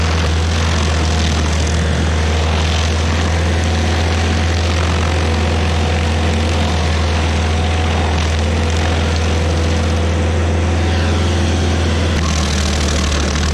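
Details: Stump grinder's first job after a motor rebuild, grinding a backyard willow stump: deep, steady drone holds speed with no bogging, knocking or surging; engine pulls the load cleanly. Oil on the heat shield cover later burnt off.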